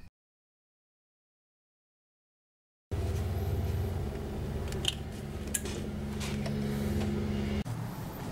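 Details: Nissan Tsuru that cranked but wouldn't start, after repairing a terminal that passed no current to the fuel pump: silence, then the engine catches and settles into a steady, even low idle without misfires or knocks; starts and runs normally.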